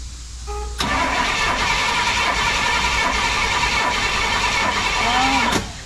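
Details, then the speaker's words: 1968 Pontiac LeMans, sitting 23 years: starter cranks steadily about five seconds but the engine never fires. No spark reaching the plugs despite new coil, cap and rotor; cause not yet found. "I don't think it's getting any spark we are having some issue with spark not getting any to the plugs"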